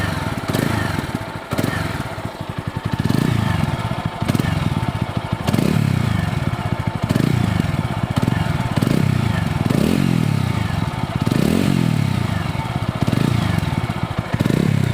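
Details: TVS Apache RTR 200 4V (197.75 cc single, oil-cooled) after silencer welding and internal pipe rebuild, sensor refitted: blipped repeatedly, revs rise and fall cleanly with a solid, even exhaust beat and no rattle or blow; silencer noise fixed, sounds healthy.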